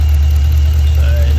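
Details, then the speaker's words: LS3/L77 V8 in a VF/VE Commodore idling on seven cylinders: heavy, uneven lope. A spray test shows one cylinder staying cold, so the misfire is from a failed fuel injector rather than the coil, which OBD had already indicated. "this one's staying as it is so it tells me that it's injector so it's not the coil it's the injector itself so that's a little bit more complicated than uh than the coil"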